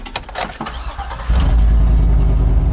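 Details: Circa-2010 Chevy truck, no-start suspected CAN network/ECM fault, after installing a replacement fuse in a deteriorated fuse box: quiet, then the starter catches and the engine fires into a firm, even low rumble. Normal engine start.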